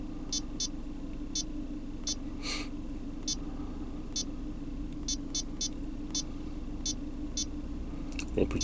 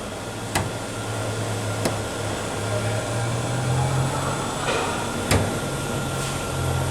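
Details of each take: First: GM Cruze after a fuel trim/O2 adaptive reset: steady even idle hum with no stumble or shake, faint electronic chirps; engine running cleanly. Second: GM Cruze with misfire, shaking idle and high fuel consumption, under the car at idle: sharp, irregular clicking knocks from inside the fuel tank, about four in seven seconds, mistaken for exhaust noise; tank flexing under vacuum from a stuck-open purge valve.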